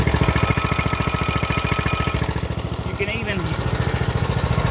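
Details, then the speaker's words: Briggs & Stratton single-cylinder engine after a head gasket job with valves not adjusted: loud choppy thumping at a fast, fairly even beat, backfiring and kicking the flywheel back; backfire from incorrect valve lash. "will backfire and bump the flywheel back the other way so what we're gonna do here is to see if it does it sometimes they do it every single time sometimes they don't"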